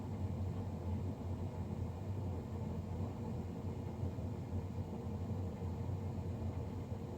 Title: Loud Fan Noise from Navien NCB-240